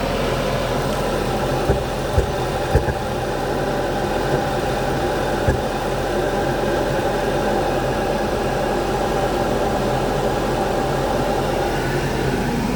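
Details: 2014 Audi A4 idling with an uneven beat and sharp stumbles from misfires. It persists after replacing the spark plugs and coils with genuine dealer parts, and the check engine light now shows P0300.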